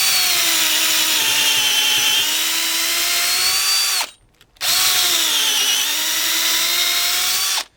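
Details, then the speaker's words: DeWalt DCD710 12V two-speed drill/driver on 2.0Ah battery, first speed, dull used 9 mm brad point bit in wood: high whine sags and drops in pitch under load, then recovers; struggling but gets through, underpowered for big bits. "can hear it is struggling but it will do it so if you're doing bits like this just buy 18 volt drill"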